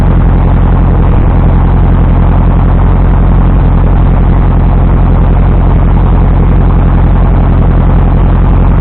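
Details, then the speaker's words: 1973 VW Thing (1600cc) first start during restoration, fuel fed from a gas can; low lumpy uneven idle with slight stumbles and hesitation; timing only roughly right, mixture and choke untuned, timing later set correctly. "Timing was sort of right. Since then, we went ahead and timed it correctly once we got it running. Air fuel mixture and choke and whatnot were not really where they needed to be, but it got it running. It had a little hesitation in it, but it got it started."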